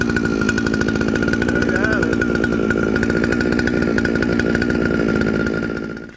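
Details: Jonsered 2095 two-stroke chainsaw with 36" bar, reassembled with a Husqvarna 395 XP chain brake handguard: steady high-revving buzz with even firing, then cuts off; runs smoothly.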